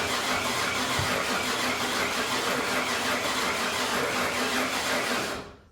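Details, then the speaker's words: Ford 351 Windsor V8, after a new camshaft and pushrod install, crank no start: steady starter churn about three turns a second for five seconds with no firing; owner suspected no spark, but spark was present and the distributor was misaligned, timing off. "It don't sound like it's getting spark."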